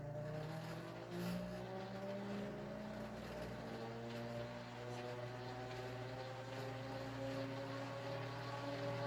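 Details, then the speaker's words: Panama Fan Company gear-driven 52" ceiling fan, early-1980s cheap plastic novelty unit with tiny gear-driven motor and flywheel, running: loud steady low rumble with several whining tones slowly climbing in pitch; gear drive whine, sounds horrific, worse than friction-drive fans. "loud and you can clearly see and hear though why this is definitely not something that anybody in their right mind would have kept hanging or used because it sounds horrific"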